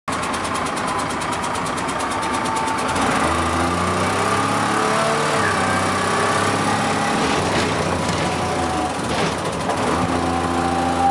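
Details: Dennis Dart SLF bus (First Manchester 40425) diesel ticking quickly and evenly as the driver repeatedly revs it because the bus was losing air and a low-pressure warning alarm came on.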